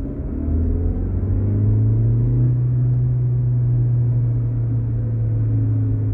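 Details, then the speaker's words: BMW 116i coasting off throttle in second gear: a deep steady drone with a fainter whine and slight ticking, similar to the reverse-gear whine; gearbox noise on overrun, owner suspects engine damage. "das Getriebe im Schiebebetrieb hört sich an im zweiten Gang wieder Rückwärtsgang nicht so laut aber man hört dieses heulen im Hintergrund dieses leichte tickern"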